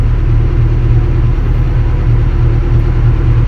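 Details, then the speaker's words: Kobelco SK200-10 excavator diesel after repair of the Mechatro controller for a battery charging warning: steady, even low rumble at idle with no knocks, misses or surging; starts and idles smoothly. "Let's try starting the engine It's already on, thank God, the error is"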